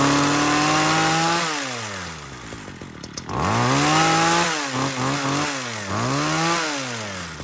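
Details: Ryobi HT26 hedge trimmer two-stroke after replacing carburetor bad from sitting with aftermarket HIPA carb, warming up; blipped, revs rise and fall cleanly between bursts with no stumble; runs fine now.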